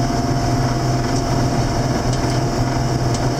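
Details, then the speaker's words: Warm 7410 diesel tractor (gauge in the green) after an in-frame engine rebuild, climbing the hill without any downshift where before the rebuild it needed first gear: steady, even drone holding firm under the pull, back to full power. "And yeah, just coming up the hill last time, I had to downshift all the way down to 1, and I'm not downshifting at all. No, she's back up to full snot, which is good, which is really good."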